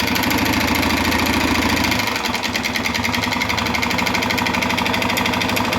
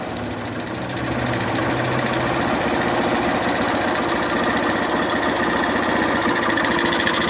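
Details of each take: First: 2011 Honda Fan 125 motorcycle idling with a loud, rapid, uneven clattering rattle from the engine; on teardown of head and cylinder, the cylinder and piston were found worn from lack of engine oil. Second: 2011 Honda Fan 125 motorcycle, reassembled after head and cylinder repair for noise from piston and cylinder wear caused by low oil: small single idles evenly with no knock or clatter; engine now quiet, normal idle.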